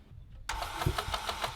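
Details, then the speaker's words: K20A2 K-series engine from accident donor car, broken throttle position sensor: short crank with uneven labored pulses, never catching; cranks no-start, timing set suspected not timing properly. "This timing set is not timing properly."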